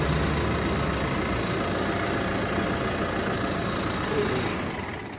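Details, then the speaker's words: Mitsubishi Montero diesel after drive belt replacement, owner had heard a noise at morning starts after sitting: even, steady idle with no squeal or chirp from the belts until switch-off; normal idle. "Pero ngayong bago na itong belt, wala ng tutunog diyan."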